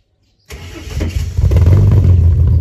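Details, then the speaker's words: First start of Ford 4.0L engine swapped into a Mercedes W203 C200 with custom 3-inch centre exhaust: catches right away after a short crank and builds into strong even rev with deep exhaust note; easy healthy start. "I can't believe it started that easy. It never even started that easy back when it was still in the Ford."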